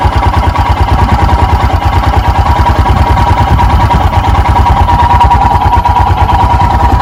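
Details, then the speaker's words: 2021 EFI Royal Enfield Himalayan single just after a cold start, choke/idle lever down, throttle untouched: low, uneven thump at a slow wavering idle that hasn't yet risen to the usual 1200 rpm; rough cold idle. "I don't hear any difference, and I don't see any difference. This typically raises it up to 1200."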